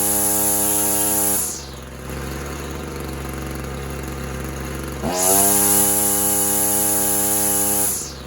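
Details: Husqvarna two-stroke trimmer running on half choke: buzzing note drops sharply, hangs low a few seconds, then climbs back; engine sags under load, cause unconfirmed.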